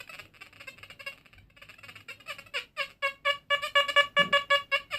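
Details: XP Deus metal detector, V4 Hot Program, full tones: string of clear, high, repeated beeps as a US Navy Civil War era officer's button sweeps over the coil, crisp consistent non-ferrous target response.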